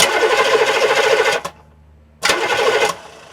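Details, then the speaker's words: Diesel engine starter, microphone right under the starter, cranking and spinning down: two bursts of fast, even starter whirr at about three and a half beats a second, each winding down cleanly; normal starter cranking. "You hear how it spins down when the starter slows down?"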